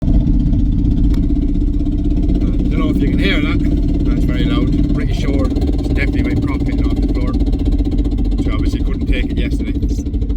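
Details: BMW E36 Compact with M57 diesel swap and a 318tds rear differential: a steady low drone over engine and road noise while driving. The differential broke after a short time and the car was nursed home. Finding: failing rear differential.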